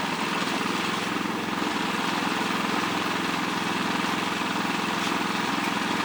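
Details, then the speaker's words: Generator charging an EV at 11.9 amps on 120 volts, about 1,439 watts, speeding up when charging starts. Loud, steady engine drone with a fast, even pulse of about 3.5 per second; runs evenly under load. "You can hear the generator speed up, it's charging. 11.9 amps, so that's the max that you can do on 120 volts with this."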